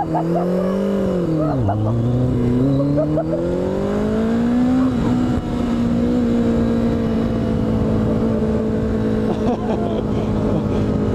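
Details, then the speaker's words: Motorcycle that hadn't run in a while, ridden on the road with a nearly dead battery: engine pitch sags, stumbles and climbs unevenly under throttle, keeps dying; running really rough, cause not pinned down. "it sounds like it's about to explode I know so pretty down here I don't know why keeps dying it's running really rough"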